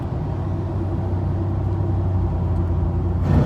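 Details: Chevy Silverado automatic right after a transmission and differential oil change: heavy low droning rumble with a rough grinding edge and vibration under light throttle at about 1,500 rpm and 40–60 mph, stopping when the truck speeds up or slows down.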